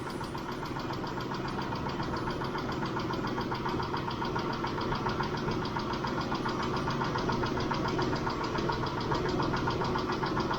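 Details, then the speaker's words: Mitsubishi Montero Sport 6G72 V6, idling after a Liqui Moly lifter additive, warming toward 80°C: fast, light, even ticking persists. Owner suspects only one hydraulic lifter has failed. "Они всё ещё стучатся . Вернее, возможно, стучит только один раз — слышен лишь одиночный стук. Обычно они стучатся группой, и всё. Возможно, вышел из строя только один гидравлический толкатель , а остальные более-менее в порядке."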